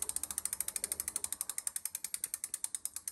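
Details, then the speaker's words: Bicycle with Avid BB5 mechanical disc brake after turning the fixed pad adjuster counterclockwise: wheel spins with only crisp freewheel ticks about ten a second, no scraping; pad no longer touches the rotor. "veut dire que la plaquette pics de touche plus le disque"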